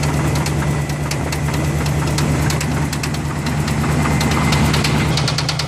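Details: 1985 Chevrolet Silverado K10 pickup, 305 V8 (third engine), at idle: steady idle with a light, fairly even knock about three times a second; engine knock still being diagnosed, cause not yet found.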